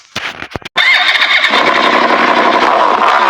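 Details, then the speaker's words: Italika Vortex 250 motorcycle after a partial engine rebuild at another shop: catches after a few blips, then busy metallic clatter over the idle; a loose nut rattling inside the engine. "Generalmente cuando es un ruido es porque un tornillo se desfoga o algo"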